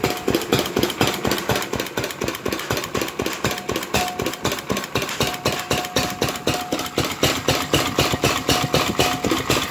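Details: 4 hp R.A. Lister Jr type B single-cylinder, first run after complete teardown and rebuild: steady beat about four firings a second, even and crisp, no knocks or misses; healthy normal running.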